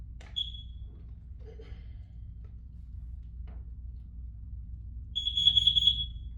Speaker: okay it should go one more time good so it's just like a smoke detector almost